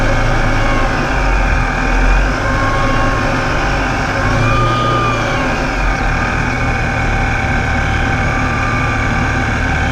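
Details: Ripp supercharger, owner suspects a bad bearing: a high whistling whine over a steady low rumble at low speed. It is loud at low idle and when crawling, only when the vehicle is in gear; cause unconfirmed.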